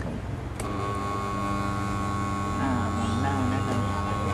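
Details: Pink air-cooler fan whose motor got power but wouldn't spin, after replacing the capacitor: steady, even motor hum with a smooth low drone, no scraping or stalling; the fan now runs normally.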